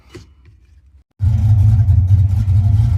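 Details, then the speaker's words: 1982 Ford Mustang GT, rebuilt 310 cubic inch (302 bored .060 over) V8, generic chambered mufflers before replacement: a deep booming rumble rises on the revs, almost all low bass, an exhaust drone that the camera washes out. "Here's what the current generic chambered mufflers sound like. Unfortunately, the camera or the mufflers completely wash out the camera."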